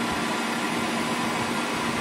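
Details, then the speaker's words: Chevrolet Cobalt started in neutral with parking brake on: steady airy whir and faint hum over engine just after start; secondary air pump, commanded by the computer for under ten seconds, injecting air to the catalyst to cut emissions, normal. "yo creo que está este accionamiento es todo lo que hace la bomba inyectar aire al sistema del catalizador para reducir las emisiones cuando se echa a andar el vehículo"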